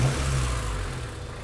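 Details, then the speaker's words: Honda Civic hatchback petrol engine idling low and steady at about 500–600 rpm with no rise or fall, after repairing a years-long idle surge; owner thinks idle may need adjusting higher. "managed to start it up without having to hear that annoying idle surge. And it's doing pretty good."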